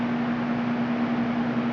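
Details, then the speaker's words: Four fans running on high from a 400-watt power inverter on a battery: a steady mid-pitched hum under an even rush of air with no wavering; they run smoothly, though bigger inverters run them better. Normal fan operation on inverter. "And they run good with the 400 watt inverter. Of course the bigger ones run it better. You can even turn it on up to high once they get going."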